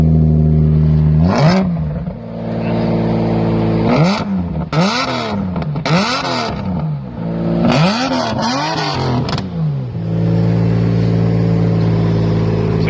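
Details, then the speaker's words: Straight-piped Subaru SVX flat-six with dual throttle bodies, jump-started: a loud, raspy idle with several sharp rev blips that rise and fall quickly; an unmuffled exhaust. "Very loud, very straight piped."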